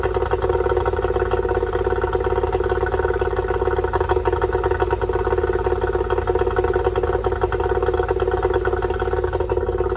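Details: Yamaha two-stroke outboard after fixing oil leaking out of the bottom of the carburetor: no more oil coming out; fast, even buzzing idle with steady firing pulses, no stumbling or sputter; normal idle.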